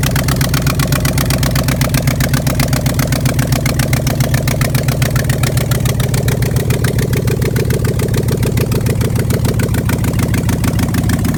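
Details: 1988 Pontiac Trans Am with 5.3 LM7 LS swap after wiring completed: steady, even V8 idle with a firm low rumble and regular pulses, no misses, knocks or hunting; healthy idle.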